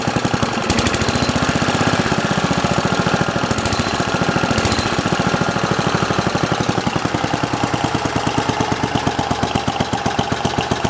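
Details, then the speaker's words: Simplicity 7010 lawn tractor, single-cylinder engine running after head removal: rapid even popping holding one speed, throttle barely changes anything; owner suspects governor out of adjustment; idle good, an unidentified sound also noted. "The throttle's not really doing anything, so I've probably got the governor out of adjustment or something."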